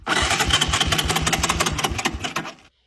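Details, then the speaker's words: 1982 Honda ATC 200cc three-wheeler (believed Big Red 200), sat about 10 years, running on a temporary Yamaha YZ tank: the single-cylinder pops unevenly under three seconds, then dies. Cause unconfirmed; a new spark plug afterwards got it running well. "Uh let's see what we got here. You kidding me? Nope. That didn't last"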